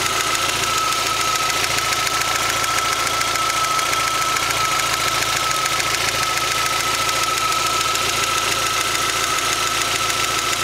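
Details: Rover MG ZR 1.4 16V petrol engine at hot idle: fast, fairly even tatatata tapping over a thin bright running note; fine when cold, disappears about a minute after turning A/C on and returns after switching it off.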